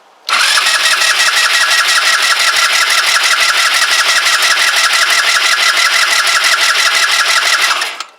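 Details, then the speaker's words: Kymco Agility 125 scooter, just refitted with wheel and exhaust and air box hose, cranks steadily about eight seconds without catching; owner suspects vacuum-related fuel issue, unconfirmed. "right it's fuel related obviously but I think it's vacuum related to the fuel"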